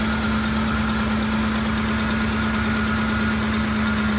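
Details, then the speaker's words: 2008 Ford F-150 5.4L 3V at idle, after the owner had already replaced the VCT solenoids, spark plugs and coils. Lopsided, dead-feeling V8 idle pulse. Cylinder misfire. "I defined a cylinder that's just a dead misfire even at idle especially at idle you want to go ahead start the vehicle off okay you make sure that's a rough idle deadness"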